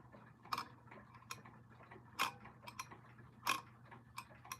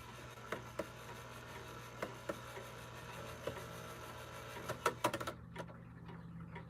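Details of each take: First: You can still hear that uneven click as it switches between uh the dates. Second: Clock movement after oiling the pivots: soft scattered ticks over low room hum, no harsh clatter; the strike train now runs much quieter than before and shuts off properly.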